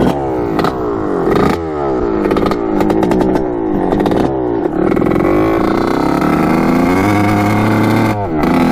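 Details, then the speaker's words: 1986 Kawasaki KX125 two-stroke on its first ride with engine mounts just tightened: blubbers and stutters as it revs, never cleaning out to a crisp crackle. "it's doing that same thing so running like crap i don't know why it's like i fold the plug or something already"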